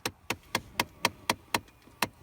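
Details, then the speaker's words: 2009 Dodge Ram 1500 with no heat, engine off: sharp evenly spaced knocks about four a second from the failing blend door actuator behind the glovebox. "you can hear that thing still knocking and I got the vehicle turned off"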